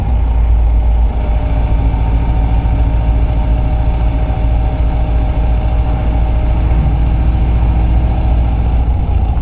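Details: 1995 Subaru Impreza WRX idling in neutral: steady mid-pitched whine over the rumble when the clutch pedal is released, also while driving; persists after a recent clutch replacement.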